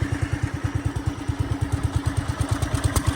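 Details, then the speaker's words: Wheel Horse C-160 garden tractor after fixing a reversed fuel shut-off valve kinking the fuel line (had run only on full choke; carburetor cleaned twice): even, steady single-cylinder putter, no stumbling or misfires; runs good. "Run's good so yeah that's all it was all that trouble probably didn't even need to clean the carburetor"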